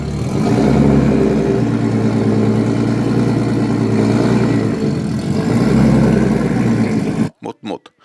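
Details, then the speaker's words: Turbocharged BMW M50 six-cylinder in an E81 drift car, rebuilt with a forged bottom end and AMP44 pistons and fitted with new lifters: revving with a light, quick tick under the exhaust note; top-end ticking persists, source unknown. "sitten todettiin, että kone edelleenkin naputtaa melkoisesti ja kerkesin vaihtaa siihen uudet nostimetkin, kunnes ongelmat taas jatkuivat."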